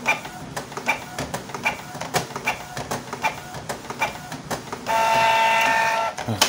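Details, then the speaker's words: Canon IP2770 printer with broken, shifted prints and occasional paper jams: uneven ticking as the carriage jerks and jams, rough sound, then a short motor whir; dirty encoder strip making the carriage stutter. "kadang bisa kadang ini narik macet ya Coba suaranya kasar ya"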